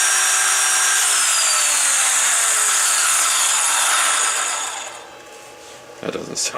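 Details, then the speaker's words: 18 V pipe cutter with former NiCd battery, wired to a DPS5015 programmable buck converter, overcurrent protection first set at 3 A: high motor whine sags in pitch, then winds down and stops. Needs high current to start; cause uncertain. "so it's interesting this requires a lot of amps to get it rolling but it likes they seem to like certain voltages"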